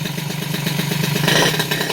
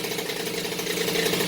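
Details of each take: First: Peugeot 103 RCX moped, first start after rebuild with choke still pulled: fast popping two-stroke beat turning uneven and hunting as it settles; carburettor still needs adjusting. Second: Rebuilt Peugeot 103 RCX moped two-stroke, first start after reassembly, choke off, carburetor not yet tuned: steady, buzzy idle, even and unbroken; healthy running.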